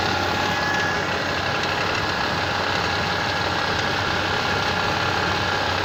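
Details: Mitsubishi Pajero 4 with the 6G75 engine, cold start: an irregular light knock of roughly four per second rides over the idle; the cause of the cold knock is unclear.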